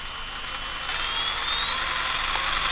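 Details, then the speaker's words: Castle Cobra 10 ESC on a rock crawler, programmed via CastleLink, held at steady light throttle: high electronic whine holds, then jumps and sweeps upward in pitch as the controller switches PWM frequency with dithering. A wide rpm jump, the frequency-hunting issue. "I'm not I'm not changing my throttle at all all right so it's still doing it I barely changed my finger and it went down barely changed my finger went back up pretty big difference between the two"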